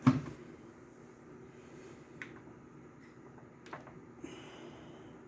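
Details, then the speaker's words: Technics RS-TR165 dual cassette deck, recording-deck mechanism after gear replacement: runs quietly with a soft steady hum, fast forward, rewind and play silent, clicking noise gone. "perfectly silent fast forward rewind play now we're going to see if it's going to play that way"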